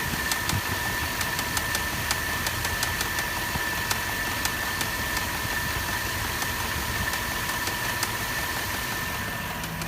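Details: Land Rover LR3 at idle: sharp light tick about three times a second riding over the engine; a clear ticking fault, cause not stated.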